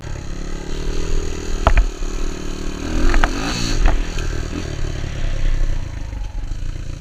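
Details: Honda XR200 single on its first test ride after a full transmission rebuild and other new parts: revs up and down smoothly with a few light shift clunks, no rattle or grinding; runs healthy, rider says everything felt smooth.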